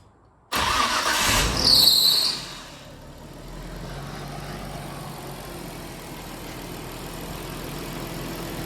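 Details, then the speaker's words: Nissan Skyline R33 GTST RB25DET, rebuilt after engine damage, fuel lines at regulator swapped: cranks and catches quickly, flares briefly, then settles into a smooth, even, quiet idle with no knocks or misses; runs and sounds good. "overall I'm excited it runs good it sounds good"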